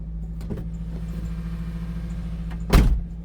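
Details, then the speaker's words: Toyota Celica idling, heard from inside the cabin after replacing two of four motor mounts, including the destroyed passenger mount: a low, steady, smooth hum with one clunk near the end and no vibration boom. The engine is now barely audible. "Wait, that's night and day. I can't even hear it in the engine, oh, in the cabin."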